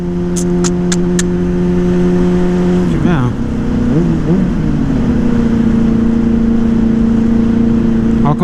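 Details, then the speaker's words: 2009 Yamaha Fazer 600 with WR exhaust tip, warm while riding after sitting: idle hangs fast, dips once and recovers, then sits high; owner suspects a loose air filter after replacing it, or bad fuel. "como ela tá acelerada ela não é assim gasolina ruim será não sei realmente não sei tem que mexer para ver"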